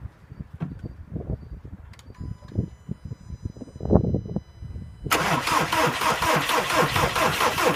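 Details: VW Passat 3C B6 2.0 TDI 125 kW diesel: uneven cranking thumps, knocking just before it catches, then runs rough with a harsh irregular clatter and odd engine noises; cause unknown.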